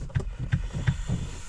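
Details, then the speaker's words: Kia Ceed 1.6 diesel after a frost of about −12 to −14 °C: slow, labored cranking at roughly three strokes a second with no firing; battery too weak to start the engine. "всесь ніц не буде це означає що машина не заведеться сьогодні Морозець і вже не заводиться що робити"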